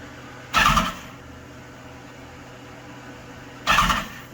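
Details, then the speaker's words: 2015 BMW S1000RR after engine swap, intake cleaned with foam cleaner, fuel pump primed: two brief starter bursts with no firing; cranking briefly to circulate oil, not expected to start until the foam clears. "oil it's not going to start right away because of all that power foam remember the the power foam has got to clear out I'm just circulating it"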